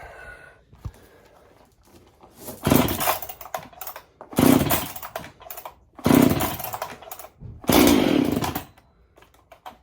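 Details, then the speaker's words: Husqvarna 371 chainsaw, recently built and being broken in, cold start: four sharp pull-cord bursts about every second and a half, each catching briefly; normal cold start. "today I just want to give it a start and make sure it starts easy cold if you know what I mean see how she starts cold"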